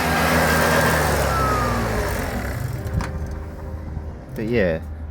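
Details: Project two-stroke scooter, leaking, that wouldn't start with this carb fitted, now kicked over: engine buzzes unevenly, wavering in speed, then sags and fades out. Runs all over the place; owner suspects it goes too lean on throttle and plans to remove the throttle.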